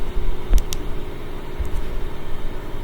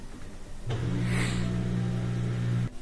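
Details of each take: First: LG washer with LE error after Hall (rotor) sensor replacement, highest spin speed: even whooshing spin with steady low hum, no thumping; it only quivered before, now normal. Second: LG washer with LE error: a low, steady motor hum for about two seconds while the drum only quivers and cannot spin; the Hall rotor position sensor is failed.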